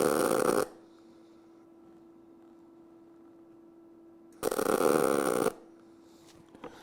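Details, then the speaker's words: Eastwood MP200i multi-process welder in MIG spot-weld timer mode, set to about one second per weld with the trigger held. Two identical crackling bursts about a second long separated by a quiet hum, consistent timed spot welds, normal. "so you can hear it's got the same same exact every time"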